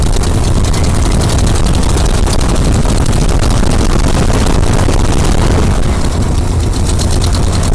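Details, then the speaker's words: 1976 Jeep J10 truck, 401 V8, sitting 29 years, first start attempt with jumper-wired ignition and fuel poured in: ragged, surging, stumbling roar that won't keep running; fuel pump not sucking anything, cracked fuel line suspected. "Oh, fuel pump's not sucking anything. Maybe there's cracks in the line."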